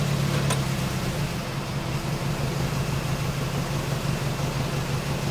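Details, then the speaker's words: Toyota Echo, idling in drive: uneven pulsing lope about three a second with an irregular exhaust beat, misfire and rough idle that is worse in gear than in park, making the car shimmy; bad coil pack suspected, not confirmed. "now I have a slight Miss but it's nothing very crucial but if I put it into"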